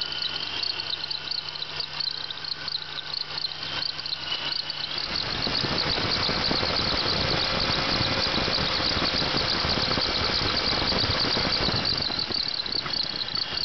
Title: 96 Bonneville SSEi Bad Idler Pulley